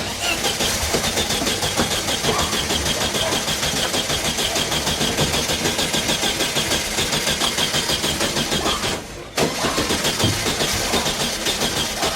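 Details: Previously disassembled VW Super Beetle, first start after ignition switch replacement, wiring fixes and fuel tank install, not in gear: steady rapid starter churning for about twelve seconds with a brief dip near nine seconds; cranks evenly but doesn't catch yet.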